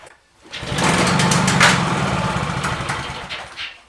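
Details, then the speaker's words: Discarded, neglected Victa Mustang 20 two-stroke lawnmower with a replacement carburetor, fuel flowing, primed three times, pulled at mid throttle: it catches, buzzes raggedly about three seconds, then fades and dies, sputtering and not staying running. "well she spluttered folks give her another go"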